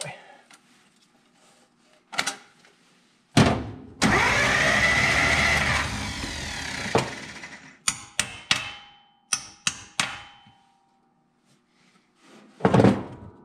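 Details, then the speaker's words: Abandoned 1949 Pontiac flathead eight with a seized motor being cranked to free it; short bursts of laboured, slow uneven starter cranking between silences with a few stuck valves being worked loose. "awesome so we got a few stuck valves a couple of those won't be happy"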